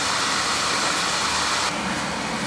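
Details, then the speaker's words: Oil burner that was leaking oil, after new nozzle, reset draw assembly, oil pump pressure, air band and electrodes, boiler brushed and breach sealed: steady, even rushing roar, no surging; previously fluctuating, now running cleanly. "right seems to be running a lot better you think sounds better it sounds better it would fluctuate you know before it was fluctuating"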